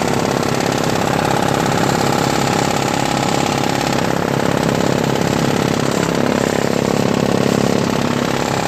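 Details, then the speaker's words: Craftsman 5HP 22-inch single-stage snowblower with new homemade floor-mat auger paddles: steady engine drone with a slapping scrape about three times a second; paddles too long, rubbing the scraper bar, to be trimmed. "but I don't know if I should trim a little bit more off because it's hitting the scraper bar"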